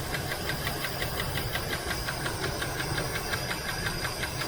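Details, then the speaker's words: 1978 Chevrolet El Camino SS, sat about 20 years, first run: sharp even ticking at idle keeping pace with the engine; owner suspects a loose rocker or lifter, plans to pull the valve cover, otherwise runs well; valve train tick. "I'm supposed to take that valve cover off and take a look maybe it's just a loose rocker but seems to run good other than that"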